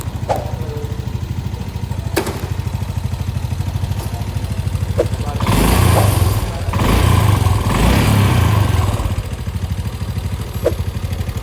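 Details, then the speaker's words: Honda Vario 150 scooter engine idling with a busy mechanical rattle on top, roughening when the throttle is blipped, caused by worn, loose valve guides; also hard starting, oil loss, carboned valves. "Terus kalau masalah berisik itu dari bos klepnya yang udah oblak."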